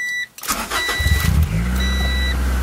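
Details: 1993 Honda Prelude with hot no-start, after main relay repair: chime, brief cranking, quick catch and steady even idle; starts and runs normally.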